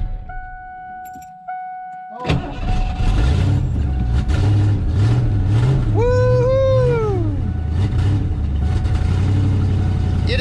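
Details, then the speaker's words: 1988 foxbody GT V8 in about 100-degree heat, engine described as a weird mess and needing all-new battery cables: it fires and idles lumpy and uneven with a wandering beat; rough running, cause unclear, compression test next. "all righty so step number one because the engines kind of a weird mess and just you could hear it when it was running"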